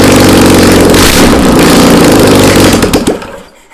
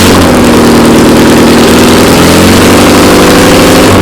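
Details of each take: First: Old VW Beetle engine sat about two years, on a start stand, fuel squirted in by bottle: cranks, catches briefly with rough uneven roar, then dies within seconds; not enough fuel. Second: Classic VW Beetle flat-four that sat for two years, running on a start stand after priming with gas from a squirt bottle. Steady, even chuff with a brief rev blip and no misfires or knocking; the engine runs healthy.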